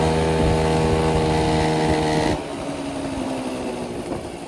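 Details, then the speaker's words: 1983 Honda Aero 50 two-stroke scooter at about 4,393 miles, test ride after repair and transmission oil change; steady buzzing note easing as throttle closes, no knocking; a minor noise possibly from the CVT cover noted. "Feels like a completely normal scoot now. No more knocking noise."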